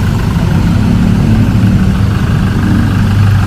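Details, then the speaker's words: 2012–13 Chevrolet Colorado diesel after its injectors were tested and fuel delivery recalibrated, with codes cleared, just started: it starts easily and settles into a deep, steady idle with no knock or stumble and no warning light. "เอ้าสาร์ทอุ้ยโอ้ติดง่ายเลยชึ่งเลยนะครับตอนนี้สตาร์ทออกมาเดินนิ่งนะ"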